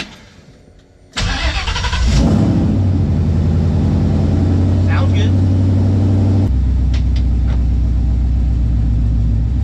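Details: Coyote V8 after a new exhaust Y-pipe, tested before full welding: deep, steady burble with no tinny rattle underneath; the months-long rattle traced to a fender bolt is gone.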